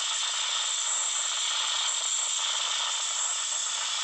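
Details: Samsung Note 9 speaker: constant harsh hiss with faint crackle and no program sound; random weird speaker noise that only a phone reboot stops, cause unknown.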